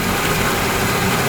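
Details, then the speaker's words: Yamaha 40 hp two-stroke outboard, Precision Blend oil injection, just after carburetor cleaning, started on first pull and smoky from oil-filled cylinders. Steady, even two-stroke drone, no misses, surging or knocking; running cleanly. "that's after the card clean and it started on the first pool I knew it was going to be smoky because the cylinders were full a two cycle oil"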